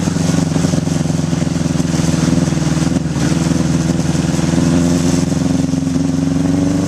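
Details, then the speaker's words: 1981 Honda CB750 K1 four-cylinder on test ride, partly on choke: uneven, lumpy note that sags, bogs and stutters under throttle; barely rideable, suspected vacuum leaks at carb boots/throttle shafts and carbs out of sync. "it's bog and it's stuttering it's just not running right so I'm guessing there's some vacuum leaks and probably carbs are out of sync"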